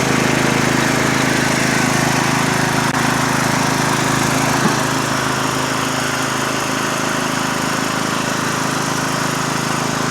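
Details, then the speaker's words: Murray lawn tractor started after opening fuel shutoff: smooth, even run with steady pitch, no misses or knocks; normal running, sounds great. "Sounds great. Good tractor, like I said."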